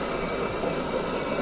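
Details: Saeco Aulika Top professional bean-to-cup coffee machine starting a milk-and-coffee drink; steady, even whirring hiss with no knocks or rattles, normal cycle start.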